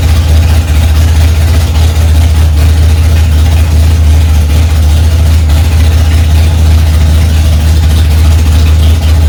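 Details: 1965 Ford Mustang, freshly rebuilt 289 small-block V8 on its cold first start, mixture screws two turns out: strong, steady low rumble at a raised idle without misses, knocks or ticks; running evenly.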